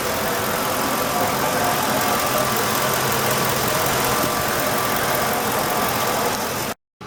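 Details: 2007 Ford F-150 5.4 3V at idle after ticking noise was fixed: steady even engine hum, no ticking or tapping; normal idle.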